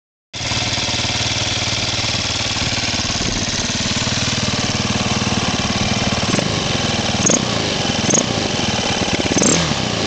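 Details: 2007 Husqvarna TE450 single-cylinder dirt bike at idle: short, high chirps every second or two; cause unknown to owner.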